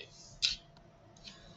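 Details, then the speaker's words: CyberLock electronic lock with a CyberKey inserted: a single crisp click, then a faint second tick, in a quiet room; solenoid engaging normally, signalling the lock is ready to turn. "plug the key in you'll see a light hear a click and turn simple as that"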